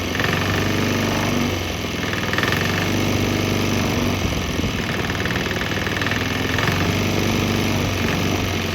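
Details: Swan X 165F Chinese single-cylinder diesel running on straight used canola (fryer) oil; steady thump about four beats a second, no stumbling or misses; normal steady running.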